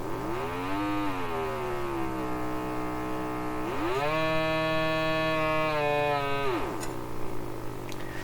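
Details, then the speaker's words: Old speaker from a Canadian Marconi Model 93 radio fed sweeping test tones from a signal generator: tones gliding up and down come out buzzy and rough instead of clean; distorted output, cause unclear. "hard to tell with these pure kind of tongs not sounding very pure to me"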